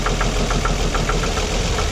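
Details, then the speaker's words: Engine with coil-on-plug ignition, rear coil open-circuit on ohmmeter test and left disconnected: rough, uneven, shaking idle with irregular sharp ticks; one cylinder dead, misfire from the bad, disconnected coil. "right so that's what it that's what it sounds like right now so with a bad coil the engines gonna be off-balance it's not going to it's not gonna sound good see it's it's shaking and stuff this back ones not connected right now"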